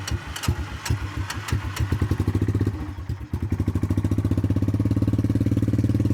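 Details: Cold start attempt: steady starter chugging at about three to four beats a second with no firing or pickup; engine cranks but never catches, cause unconfirmed.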